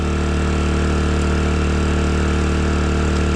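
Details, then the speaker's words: 800 W (1000 W max) 4-stroke gas generator in Thailand running a 5000 BTU upflow air conditioner, switched to Econo mode: steady low drone at constant speed with an even firing beat, no surging, no audible difference; it runs normally. "Like I said, it's pretty quiet. Let's try the Econo. I didn't hear any difference, did you?"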